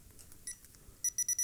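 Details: Old broken digital camera with weak, swollen battery that won't fully charge: at power-on four quick high-pitched beeps in a short burst, then quiet; battery-depleted warning.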